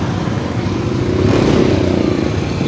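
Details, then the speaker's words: Yamaha Aerox 155 scooter road test after replacing a bad rear bearing near the swing arm: steady engine drone with no grinding or rumble, the rear noise is gone and it runs smooth. "Good. So nawala na yung kanyang ingay. Smoke na. mga sa smooth na siya so hindi na maingay Eh so good mga ideas."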